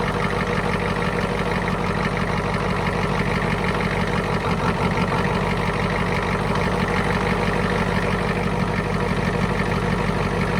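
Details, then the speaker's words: 1991 Ford F350 IDI diesel after injector return line replacement, idling with a steady clatter and a slight stumble as each injector line is cracked one at a time. Air is bled and each cylinder is checked, then it sounds good. "so there you have it just track each line until it kind of bogs down and then poting them back up sounds good"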